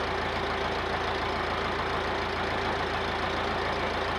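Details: Massey Ferguson 50HX 4wd backhoe loader, 4-cylinder Perkins diesel, after connecting hydraulic pump to engine and refilling fluid, testing hydraulics: steady idle with even low throb and mid hum, no knocking or hunting; normal idle.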